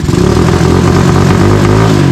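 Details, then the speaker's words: Tao Tao 250 YFZ-style quad, newly fitted replacement engine, D7 plug, not fully warm: single-cylinder revving with choppy uneven exhaust beat that chops out as throttle is added, stumbling instead of pulling cleanly; same fault as before. "Okay, so before when I would rev it, it would like chop out. Like that."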